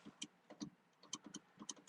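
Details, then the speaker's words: 2004 Ford F150 with no power windows after a snow storm: faint, uneven clicks from inside the door as the window motor tries and fails to move the window, working only intermittently. A wiring fault or bad motor is suspected. "I can hear the motor clicking in there whoa oh she's going down now she quit now she's going now she quit and she's going I think we got we have a wire issue in here"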